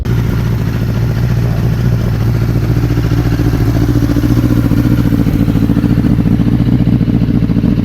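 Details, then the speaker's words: Rebuilt 2005 Honda CBR1000RR after setting the balancing shaft: the whistle is gone, but the idle is uneven and lumpy at about three to four pulses a second and sounds rough; the idle still needs adjusting. "So yeah, right now she sounds a bit rough, she sounds a bit iffy, but at least the whistle is gone."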